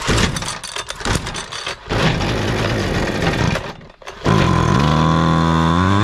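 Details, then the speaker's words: Husqvarna 128DJX two-stroke string trimmer: sputters and catches, then bogs down, its rising note sagging when throttled up; carburetor fault, diaphragms or carburetor to be replaced: engine bogging down on throttle. "Okay, so the carburetor does have a problem, which is why we did this test. The reason it has a problem is because when you throttle it up, it is bogging down."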